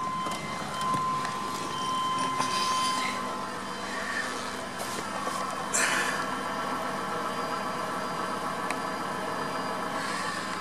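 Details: 1997 Chevrolet Astro after fuel pump repair: quiet, steady idle with a faint even pump hum underneath and no stumble or misfire; the engine and fuel supply sound healthy.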